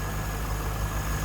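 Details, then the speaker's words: 1998 Chevrolet Corvette convertible pace car, stock 5.7 liter LS1 V8, hood open: steady, even idle with no knocks or misses. Normal, smooth idle. "Alright, there's a 5.7 liter LS1. Smooth running, great sounding."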